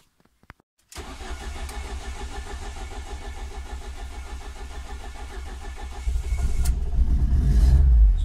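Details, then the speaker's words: Ford ST170 with GSXR 750 individual throttle bodies and ME221 ECU, cooled fully for a cold start after cranking dwell map changes: brief crank catches into lumpy, spluttering uneven idle; owner suspects one cylinder flooded; rough cold start. "start it up a little bit splattery I know he said I can tell by the noise of the engine I would even simply it flooded one of the cylinders"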